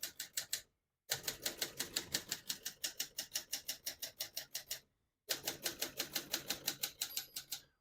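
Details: Serviced 1972 Adler J2 portable typewriter typing with margins set at 0 and about 90: crisp even keystrokes about three per second in short lines with pauses, no skips or sticking; working normally.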